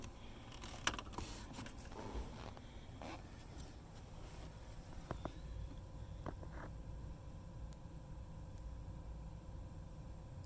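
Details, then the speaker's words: Jeep Liberty, ignition on with engine off, HVAC switched to hot to test the blend door actuator under the dash (Dorman 604-037 replacement for door-open ticking). A few soft separate clicks as the door motor travels, then quiet; normal actuator operation. "Now I'm gonna switch this right here, because that's your door blender. I'm gonna switch this to hot. As soon as I switch it to hot, that thing is gonna click."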